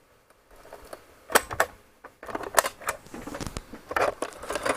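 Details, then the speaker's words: Commodore C64C cassette drive that won't load games, after cleaning the pinch roller: irregular scraping and clicking bursts instead of a smooth tape run; the drive is grinding and chewing the tape. "can hear it grinding and chewing it"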